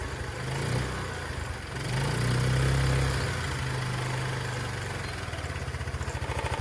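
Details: Chinese 150cc TNG Verona scooter at first start after being found on the street: the single-cylinder putter picks up with a throttle blip, then settles into a steady, even idle; normal idle and revving.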